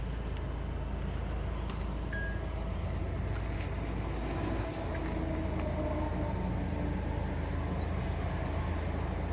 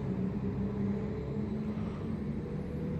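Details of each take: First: 2008 Acura TL 3.2 V6 idling after replacing ignition coils for random misfire codes P0300, P0302, P0303, P0305: steady even low hum with no misfires. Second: 2008 Acura TL 3.2 V6, almost 200,000 miles, check engine light on: lumpy, uneven low idle rumble; codes P0300, P0302, P0303, P0305 show cylinders two, three and five misfiring.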